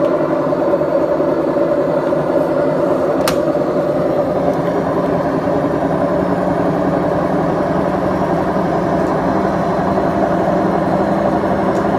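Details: BEKO washing machine, 7 years 8 months old, drum bearings gone bad: constant heavy roar and rumble through the whole spin, even and unbroken, no clunks, typical of worn drum bearings.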